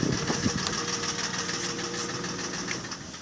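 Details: Mercedes ML320, M112 3.2 engine at about 300,000 km: hollow, fast knocking, about three a second at idle, over the engine hum; piston slap from scored cylinders, persisting despite replaced bearings, tensioner, rollers, camshafts, chain and lifters.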